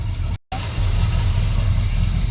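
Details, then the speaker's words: 1966 GMC pickup V6 idling on its own without priming after a clogged fuel filter was replaced (rust found in the fuel); steady, even low rumble, normal idle. "Well, yeah, it's running on its own. We didn't even prime it. There you go. It's idling on its own."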